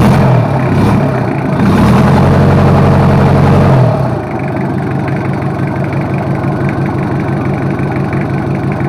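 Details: Toyota Kijang 2L diesel, freshly overhauled for low compression and abnormal noise, break-in run: held at raised RPM, then drops to a steady, even idle clatter with no misses; healthy, though a water leak remains to be checked.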